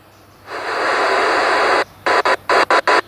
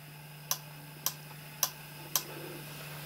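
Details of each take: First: Yaesu FT-817: bursts of harsh warbling noise cut on and off in short blocks, with faint whistles between, likened to a ZX Spectrum loading. Whining, data-like receive audio, cause unknown. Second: Yaesu FT-817 connected to a Diamond X50, switching to the rear antenna via function button and menu 7: four crisp clicks about half a second apart over a faint steady hum. Antenna relay switching normally.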